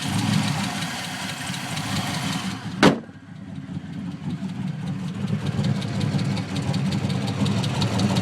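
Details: LS1 V8 with PRC 2.5 LS6 heads and 228R cam, after engine swap: light quick ticking over lumpy idle, driver side rear, only once at operating temperature, louder underneath; owner unsure whether lifter or exhaust leak.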